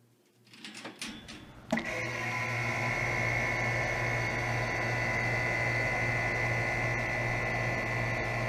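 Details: 2007 Guardian 4-ton 13 SEER central air conditioner startup: clicks and a sharp clack, then a steady hum with a high whine; the fan motor startup sounds odd, cause unclear.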